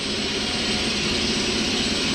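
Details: Ingersoll Rand T30 air compressor run on single-phase power through a Huanyang VFD: an even, steady whirring hum with no knocks or surges. Running normally.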